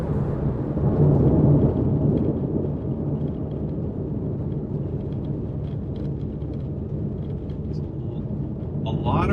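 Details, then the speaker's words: Inside cabin of 2012 Porsche 911S (991.1) at cruising speed on rattle-prone road, after foam and felt tape added behind rear seat panels and seat belt: steady low tire/road roar only, no plastic buzz or rattle; rear seat rattle gone. "i mean that really is a ton better than it used to be i mean there's still a lot of road noise but the rattling the annoying like plastic vibration sounds and stuff totally seems like it's gone"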